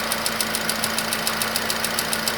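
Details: Nissan Qashqai HR16 engine at idle after two flushes and oil change that did not help: sharp, regular knocking about six per second over the idle; persistent internal knock, cause unknown.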